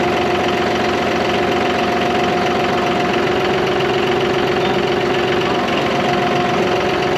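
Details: John Deere 5203 tractor with 512 loader, 740 hours, after a hydraulic problem with milky oil was fixed by changing oil and filters: steady diesel running with an even rapid beat and no knocks or grinding; engine and hydraulics sound healthy.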